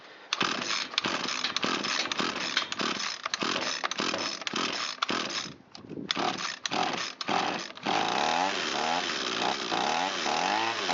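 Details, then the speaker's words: Echo SRM225 trimmer that sat a long time, start test on full choke and full throttle: several pulls, then it runs high and thin with surging revs. Running lean; the mixture screw cap had already been removed by someone. "So it's a little lean, a little peek underneath the carburetor here where the mixture screw is located."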